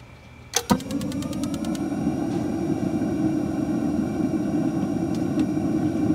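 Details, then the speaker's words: RV Dometic Atwood water heater that wouldn't stay lit, after replacing the ignition control board with a Dinosaur Electronics UIB 64: sharp igniter ticks then a soft steady whoosh as the burner catches at once; normal ignition. "and she fired straight up perfect"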